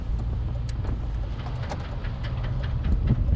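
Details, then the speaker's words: 1995 Chevy Tahoe, new Yukon Grizzly rear locker, 4.56 gears, 35-inch tires, coasting unloaded through a right turn: light irregular ticks over road rumble as the locker ratchets and unlocks; left turns click less audibly. "it unlocked and for some reason the left turn sometimes don't click as audibly as the right turns do but there you go so we'll come on up make this right turn we should hear some clicking"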